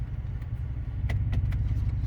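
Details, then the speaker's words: Imola, revived from scrap, at night, check engine light on: petrol engine idles with a deep uneven rumble and faint puffing from a leaking exhaust flex pipe; the leak quiets down once warm. "The flex pipe, I mean, you can hear it, but it quiets down once it warms up."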